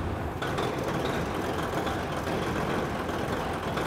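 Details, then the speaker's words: Büssing 8000 truck with a 13-litre prechamber diesel, first start during restoration, cold: it catches and settles into a loud, rapid, even clatter over a heavy rumble that gets quieter as it warms. Normal cold-start prechamber knock. "Le cognement fort, quand il démarre, c'est extrêmement fort, puis ça devient plus silencieux quand ça chauffe."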